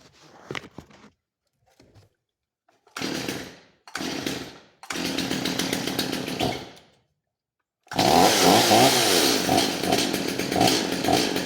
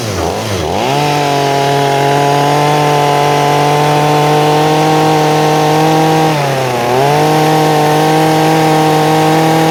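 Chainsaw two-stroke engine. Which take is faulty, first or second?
first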